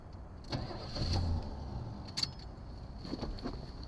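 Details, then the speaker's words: 1974 Chevrolet Nova with recently replaced fuel filter and kinked line: short, uneven cranking bursts that never catch; crank-no-start, owner suspects fuel obstruction between tank and carburetor, not confirmed. "so i probably have i probably have a bad an obstruction somewhere between the fuel tank and here all right so it appears we have a fuel issue we definitely have a fuel issue"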